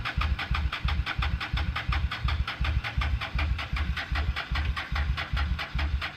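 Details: 1998 Honda Shadow 750 ACE, sat outdoors over 5 years, cranking after cleaned carburetor refitted: steady starter churn, about three pulses per second, never fires; owner thinks it isn't getting fuel, may check the gas tank.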